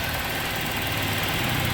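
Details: 2003 Toyota Kijang Kapsul injection after tune-up and foam intake cleaning, long crank then idle: even idle with busy, hissy rattle, no knocks or misses; exhaust smoke from leftover foam expected to clear.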